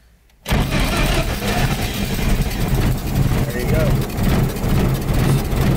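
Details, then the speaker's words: 1920 Ford Model T Centerdoor, original engine converted to 12 volt, cold start: it catches right away and settles into a steady, even low chug with no misses or knocks. A healthy start. "that's a really cool sound I love the sound of it starts right up no problem"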